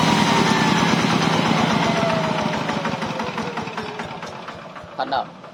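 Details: Yanmar TF105LM diesel tractor that previously revved by itself and would not shut off, governor stuck or worn, after a temporary fix. The diesel beat slows evenly and fades to a stop instead of running away; normal shutdown.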